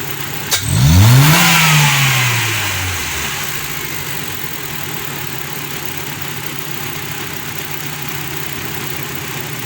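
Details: Honda CF petrol engine after carbon-cleaning the injectors, idling evenly and taking two quick clean revs that rise and settle smoothly; previously misfiring badly, now accelerating properly.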